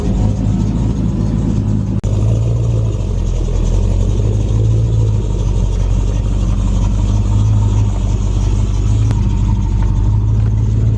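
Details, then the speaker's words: Turbo 5.3 Chevrolet Colorado race truck after a quick rebuild (turbo, intercooler pipe, exhaust), a little temperamental when cold: steady deep idle with a loud fuel pump and a thin whine on top; accessory belt noise. "Damn race truck. You can hear that belt."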